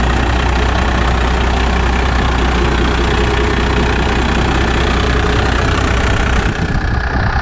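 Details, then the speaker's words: Second-gen 12-valve Cummins diesel with straight pipe, just after a preventative valve lash adjustment: loud deep diesel clatter at an even idle with no miss; healthy engine. "it sounds like a 12-valve"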